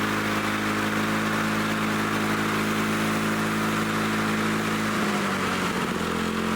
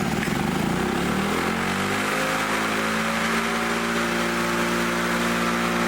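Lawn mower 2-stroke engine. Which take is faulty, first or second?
first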